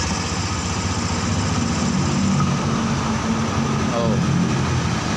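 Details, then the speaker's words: Honda Scoopy injection scooter after engine rebuild and steering bearing replacement, no warning light: even, steady single-cylinder idle with no knocks, ticks or rattles; smooth, healthy normal idle. "suaranya Udah adem banget ya"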